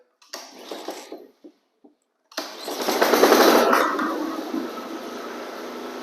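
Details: Flood-submerged Honda HRX lawn mower after cleaning and repair, throttle on rabbit: catches after a pause, revs to strong even roar, settles to steady smooth run; runs healthy.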